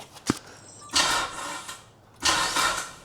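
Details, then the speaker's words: Mitsubishi Evo 9 after timing belt replacement, first start attempt: two short sluggish bursts of turnover dying away without firing; battery too flat to crank properly after brief charge. "We used all our charge. Mhm. Not enough juice."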